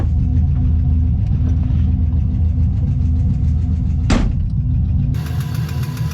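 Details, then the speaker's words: LS-swapped BMW E46 on its first test drive: after rpm dropped well below idle, a loud, loose, uneven knock of about two per second appears, seeming to come from the middle of the block. The owner hopes it is an exhaust leak. "Oh no, what's this? What is that noise? Oh Christ. Where's that coming from? Sounds like right in the middle of the block."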